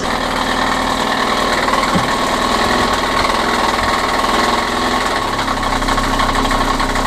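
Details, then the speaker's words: 2016 KTM 85 SX two-stroke with complaints of power loss and hard starting: uneven, stumbling idle with irregular pops and no smooth beat; sounds really bad and unhealthy, cause still to be found. "yeah that sounds really bad okay yeah okay guys now that we've already started the bike had a chance to listen to it doesn't really sound too healthy"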